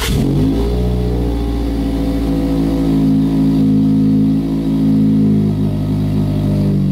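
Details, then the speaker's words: 2019 Toyota Corolla hatchback with a new 2J Racing mid pipe, cold air intake, HKS catback and stock headers, on a very cold start. Loud, raspy drone, high idle settling down. Later the noise seemed to come from the footwell; exhaust leak suspected. "Like all the noise was coming at my feet and I was like, well, I guess there's the new revs, the new cats in there. But then I was like, you know what? Like it just doesn't sound right."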